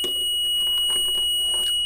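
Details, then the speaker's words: Multimeter continuity beep across relay pins on an electric atta chakki (flour mill) circuit board: a steady high-pitched tone showing a closed circuit. "यहाँ पर continuity नहीं आ रही है, continuity इसमें आनी चाहिए, ठीक है। अब आ रही है,"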